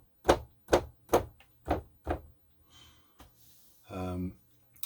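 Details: Nektar Panorama T6 MIDI keyboard after a mod to quieten the key-release stops: five soft, dull thumps about half a second apart as keys are played and released, no sharp plastic slap.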